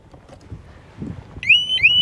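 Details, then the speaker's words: Harley-Davidson Smart Siren 2 on a 2020 Tri Glide, tamper alarm tripped by pulling the main fuse with the fob away: shrill siren with quick rising whoops about every third of a second, running about 28 seconds per cycle. "I want to see how long it goes 26 27 okay about 28 seconds and she shuts back off"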